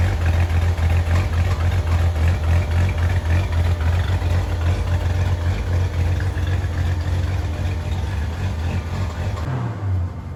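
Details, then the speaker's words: 1983 Ford F-150 idling after a full exhaust replacement with a brand-new muffler, only clamped so far: deep, even rumble with smooth pulses and no rasp, ticking or leak hiss; "sounds like a whole different beast", healthy exhaust. "go [Music] sounds like a whole different Beast and"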